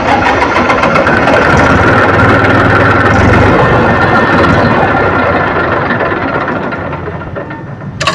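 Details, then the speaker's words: Massey Ferguson 1035 DI tractor diesel, restarted within a minute of shutdown: steady, labored chugging for several seconds before settling; slow to fire, hunting as it starts; hard starting, diesel pump suspected, not confirmed. "Silencer तो आपने देखा इसका condition कि कितना ज्यादा समय ले रहा है स्टार्टिंग होने में राउंड ले रहा है"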